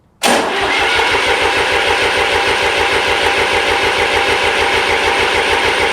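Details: Restored 1993 Lombardini diesel generator, cranking during fuel bleeding: turns over at an even chugging beat for seconds but never catches; no diesel reached the injectors; no start from lack of fuel delivery.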